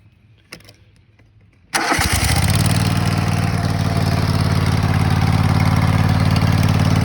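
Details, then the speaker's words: 2004 Kohler Command 23 HP twin-cylinder zero-turn mower engine, 580 hours, after replacing blown head gaskets: starts first try and settles into a steady, even run, light smoke from leftover muffler oil burning off; normal start and idle. "so after I put this thing together now it starts and runs the only smoke that's coming is there's leftover oil in the muffler that has to burn off"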